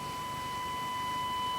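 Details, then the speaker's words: Rexina medium-wave radio fed a 1 kHz DDS-modulated test tone, measured after the demodulation diode: the clean tone turns rough and buzzy as the signal gets stronger; distortion on strong signals, suspected weak IF AGC regulation. "जाता है और अब यह विकृत होने लगा है, मैं यहां और भी करीब जाता हूं, अब विकृत हो गया है यह, मैं थोड़ी दूर चला जाता हूं, एकदम सही, इसलिए एजीसी विनियमन जो काम करता है बहुत कम, आप वहां क्या कर सकते हैं?"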